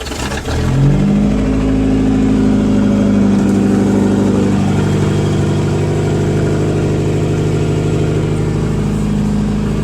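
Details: Engine starts and idles with a deep, uneven knock about three times a second under the running note: rod knock.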